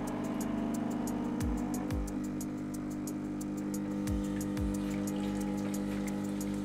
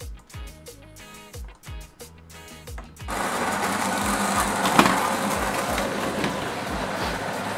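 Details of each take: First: Nivona 930 espresso machine grinding coffee; customer reports a howling noise, especially when switching off: steady pump drone with low hum and quick ticking rattle, judged within normal loudness; drain valve found installed backwards by previous service. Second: Nivona 930 coffee machine; customer reported howling during rinse and brewing. Grinder runs with a steady, even grinding rush, no howl or rising whine; sounds normal.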